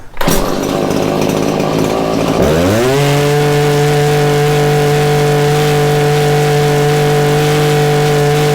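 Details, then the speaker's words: Stihl hedge trimmer two-stroke after clearing a plugged spark arrestor, new fuel and new spark plug: revs cleanly to a steady high buzz with no stumbles or dead spots in acceleration; runs properly. "uh there you have it runs good runs just how it should the rpms are a nice level there's no dead spots in the acceleration"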